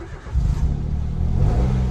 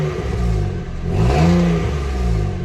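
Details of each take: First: Peugeot 107 first start after gearbox swap, new clutch kit and new exhaust section: short crank, then catches at once and settles into a steady low rumble without stumbling; starts cleanly and runs normally. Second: Peugeot 107 after gearbox swap, new clutch and new exhaust section: small petrol engine revving up and settling with a puffing, blowing edge; exhaust leaking at a joint, needs a new clamp.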